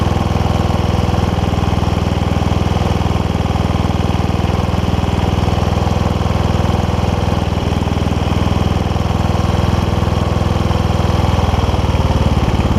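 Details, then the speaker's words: Toro Wheel Horse 1232XL hauler tractor, 12.5hp Briggs single-cylinder, after installing Hipa carb kit: engine thumps fast and steady, stuck at high idle and won't idle down; throttle linkage is somewhat messed up, idle screw can be backed out with flathead screwdriver. "I'll give you that gives you an idea of the uh throttle a little bit uh messed up on this so that's kind of why we're having an issue with the with white not doesn't want to idle down"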